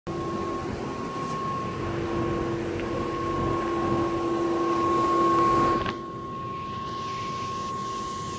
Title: A/C Condenser fan humming sound